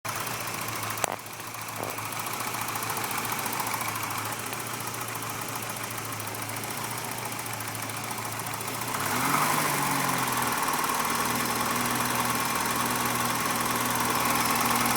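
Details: Lesharo engine idling with a steady knock, roughly three a second, that continues as idle rises and doesn't change when injector harnesses are pulled one at a time; owner suspects rod knock, unconfirmed.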